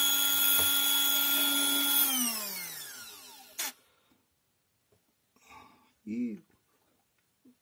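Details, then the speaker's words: Scarlett SC 042 mixer after relubricating gears and motor bearings (previously whistled and grated once warm from lack of lubrication): steady high motor whine with no squeal or grating, spinning down smoothly; runs like new. "машинка как новая повторяйте это несложно"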